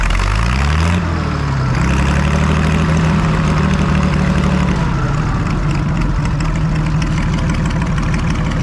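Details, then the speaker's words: Farmall 560 tractor, first start after its carburetor was reinstalled: engine catches, revs briefly, then settles into a steady, even idle with a smooth low beat. Idle still to be adjusted, but it sounds good; normal idle. "all right i'm going to do a little bit of adjusting there but boy it sounds good"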